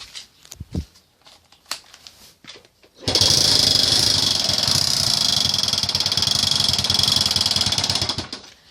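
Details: Delta/Alpha-type moped engine: fast steady tick about four per second, sounding like a failed timing chain tensioner, actually caused by a generator cover dented inward by a road stone and rubbing inside.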